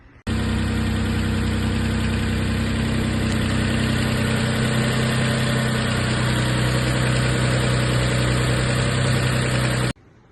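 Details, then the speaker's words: Mitsubishi 3000GT after A/C compressor and line replacement: smooth, even idle with steady hum, no grinding, rattle or smoke, A/C ice cold; normal idle. "The new AC compressor, the new line, nothing's leaking and it's ice cold and it doesn't make a loud grinding noise anymore. As you can hear, no loud noises."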